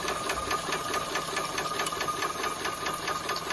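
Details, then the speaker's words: Maxitrak 5-inch Alice steam locomotive, brand new, on air with cold water, check valve nut undone to test axle pump: even steady ticking about two per second with light metallic chatter; pump working normally. "so if you open this little valve up open this little nut off you should get quite a lot of"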